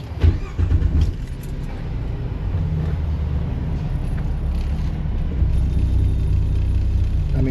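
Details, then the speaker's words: Truck with catalyst efficiency code P0430 and worn motor mounts, idling with an uneven lumpy rumble and shaky irregular beat with noticeable vibration; rough running, cause not pinned down. "you hear you can hear it and feel it put it put it in gear I mean you at the keys this truck's got issues"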